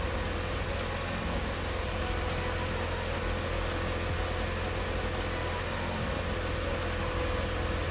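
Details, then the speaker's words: 1997 Mitsubishi Eclipse Spyder 2.4 SOHC after timing belt replacement, belts and water pump reinstalled; even steady idle hum, no belt squeal or ticking, faint hiss; owner notes a rear exhaust rattle at certain rpm, not a leak; normal idle. "but uh yeah motor sounds good now"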